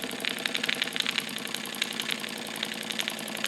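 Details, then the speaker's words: Wilesco D455 tabletop double-acting stationary steam engine, now at operating temperature: light, rapid chuffing with a metallic tick, nearly four beats a second, steady and even. Normal running. "For the most part, that's operating temperature now. And that's how it's going to run."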